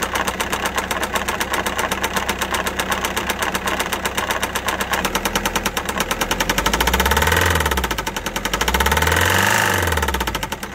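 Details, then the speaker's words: Citroen C4 Grand Picasso 1.6 HDI diesel, about 190,000 km when bought, while driving: heavy metallic knock about four times a second rising and falling with revs over diesel clatter; oil starvation judged to have ruined the engine beyond repair, later replaced. "I was driving and some sounds were evolving from the engine a quick analysis highlighted that a fe oil starvation issue kicked in bad engine knowing it would it wouldn't be repairable"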